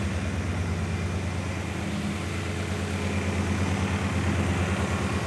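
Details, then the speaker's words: BMW E39 M5 S62 V8 track car just after an oil change where milky sludge drained out, started cold before warming up: deep, even burble at idle with steady low rumble, no knocks, misses or shake; idling cleanly. "like I said except for the beauty of the exhaust this thing makes no noise doesn't shake doesn't Rumble doesn't [Applause] anything just sounds like European [Applause] Bliss"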